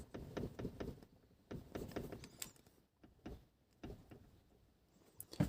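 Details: Car rocked by hand, heard from the rear seat: dull thunks in bunches with each rock, a hollow knock from the rear wheel arch that persisted a year; cause found as a loose, under-tightened rear strut top mount bolt.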